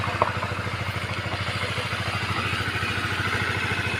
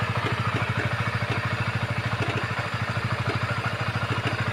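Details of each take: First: Honda CBR150 after cam chain tensioner removed, cleaned, reset and refitted to cure a top-end klutuk clacking: quick, even idle beat with no clacking from the top end; normal idle after repair. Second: Honda CBR 150 at idle: fast, even "klutuk-klutuk" clacking about three per second over the idle; cam chain tensioner checked as the cause of the rattle.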